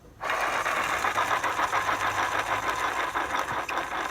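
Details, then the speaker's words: DIY electric skateboard (Summerboard SBX) wheel spinning with a fast, dry rattle and gritty whir; bearing dry and shot, pulley-side wheel shaft bent causing pulley wobble. "see that wobble this the wheel shaft is bent and also if you listen to that bearing it's already shot as well in the other end so the the pulley on on this side this shaft is bent and I get the wobble in the pulley and the bearing on this side sounds dry and completely Shar"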